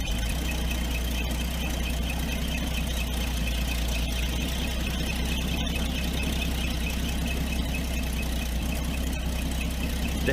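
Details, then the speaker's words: 1983 Toyota Land Cruiser FJ60 with 2F inline-six, engine hot: steady high-pitched squeal over an even idle, never changing, coolant leaking at the pump. Failing water pump bearing, pump replaced. "engine is hot and it sounds like the water pump is going out"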